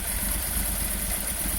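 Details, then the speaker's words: Peugeot 205 GTI after an idle control fix, now starting on the button: a steady, even idle slightly low, without stalling or hunting, before final idle setup. "it's a little bit low there if anything"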